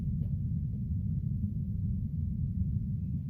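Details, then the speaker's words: Upstairs HVAC unit blower fan keeps running with the unit off, even with the green fan wire removed at the controller: constant low rumble; diagnosed as a faulty control board needing replacement. "so even with the unit off you can you take this green wire off right here and go to the controller I don't know you here but that fan is still home"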